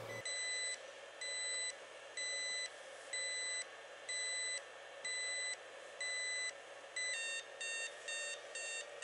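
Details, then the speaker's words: Inverter running a DIY 12 V lithium iron phosphate battery through a capacity test at about 10.67 V: high chirping beeps about once a second, quickening near the end, as a low-voltage warning; it shut off at 10.3 V. "the beeping just started on the inverter so the inverter is telling us that we're at low voltage"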